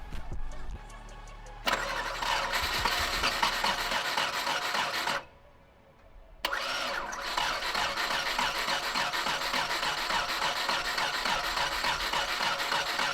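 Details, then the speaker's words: 1998 Subaru WRX that sat for years, new battery and fresh fuel added: the starter cranks steadily, pauses, then cranks again without firing; no fuel reached the front line while priming, fuel pump suspected dead. "no fuel came out of the fuel line well priming it so we're not getting fuel to the front so that means fuel pump's probably dead"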